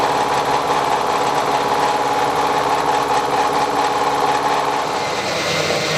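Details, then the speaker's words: Banggood face mill with coolant, taking a heavy 70 thou cut: steady ringing tone over rhythmic chatter of inserts biting, pitch holding level under load, working hard; normal face milling cut. "Well, you can hear it there, that's actually working now, working hard."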